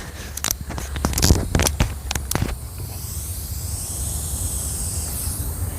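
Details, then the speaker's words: SCBA valve, burst disc plug with straight British pipe threads cracked open with a 3/8 six-point wrench: a few metallic wrench clicks, then a steady constant high hiss as air bleeds out until empty; compressed air leak. "So, it's leaking. We're going to leave it right there till it finishes airing out."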